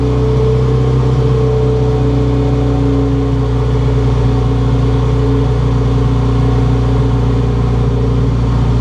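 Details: Turbocharged B20 VTEC swapped into a cleaner Honda Civic Si, after reassembly with welded downpipe and intercooler: loud, smooth, even engine note held at steady speed, no knocks or misses; runs really well, kept short to avoid overheating.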